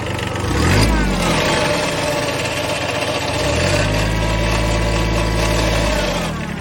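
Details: Kubota B7100 HST diesel tractor: diesel clatter with a loose metallic rattle that persists as the revs rise and fall; the source of the rattle is undetermined.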